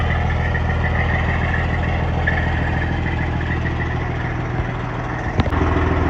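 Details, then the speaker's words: Freightliner Cascadia with a straight-piped Detroit 60 Series diesel, in neutral, warmed up a little after a cold start: deep, steady idle with an even low throb and no knocks or misses; healthy warm idle. "Alright guys, just listen to this though. The truck has warmed up a little bit."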